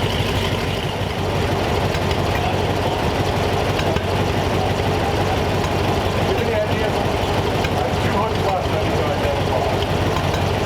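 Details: Replacement flathead V8 (35/6 block) for 1934 Ford idling on a run stand, 185°F after 22 minutes without overheating; constant low burble, even and unbroken, no knocks or stumbles; normal idle.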